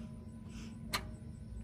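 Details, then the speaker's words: Land Rover Range Rover bought as a repossession vehicle: at key turn the starter gives a single sharp click, then nothing, no cranking. Battery reads about 11 volts, and a low battery is suspected (owner thinks it needs 14); camshaft position sensor and oxygen sensor codes present. "so i think it needs to be at least 14. you know these erase codes and then i'll click ah see it just clicks"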